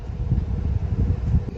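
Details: Refrigerator that was lukewarm inside, with behind-the-fridge access at the back bottom by the compressor: an even, low whooshing hum from the condenser fan running smoothly and normally, with the old start relay and capacitor still fitted while the owner recreates the fault.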